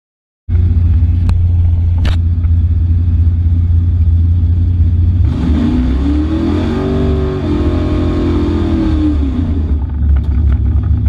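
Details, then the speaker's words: Trans Am V8 at the drag strip after a lifter replacement: lumpy idle, then a hard rev that falls away at the top; still cuts out around 6,600–6,800 rpm, so the lifters didn't fix it, cause unknown. "i over rev the car to see if the lifters fix the issue where it cuts out at 6800 it didn't fix the issue so it cuts out around 66 6800 for some reason"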